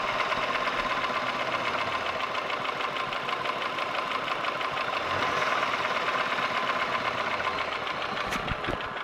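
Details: Holden Commodore VY V6 (Series II Buick 3800 / Ecotec 3.8) at idle: light, fast, uneven ticking about two per second over the hum. Owner asks whether it is lifter/valvetrain noise or bottom end (rod, bearing); unconfirmed.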